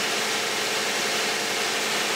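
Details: 2010 Toyota Camry, 2GR-FE 3.5 V6, 152,000 miles, Mobil 1 5W-30, idling after a cold start: even, steady hum with no ticks, knocks or hunting; this high-mileage engine sounds healthy.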